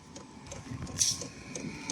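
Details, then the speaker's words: Chinese portable diesel air heater running from a battery, heater plug off after warm-up, combustion fan on: light regular ticks about three times a second over a soft fan hum from the fuel pump metering normally. "And the other electrical bit would be the pump. Hear it?"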